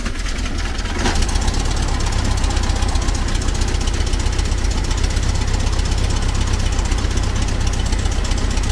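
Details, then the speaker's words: 1970s VW Type 2 Camper engine, distributor timing just adjusted, warming up; low, lumpy idle with an uneven chuffing beat about four a second; rough idle, plugs or carb adjustment suspected, split rubber part noticed. "the engine warm up a little bit it's not sounding great really it might need a new set of plugs or something even"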